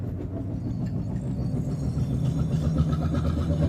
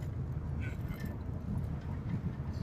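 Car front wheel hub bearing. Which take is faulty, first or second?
first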